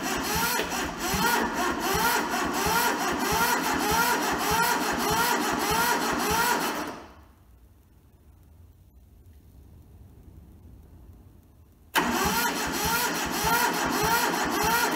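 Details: Toyota SDK4 skid steer diesel that arrived rusted and seized, fed from a temporary diesel tank. Jumped at the starter solenoid, it cranks in a steady rhythmic beat, pauses, cranks again, but never fires; injectors then loosened to bleed fuel.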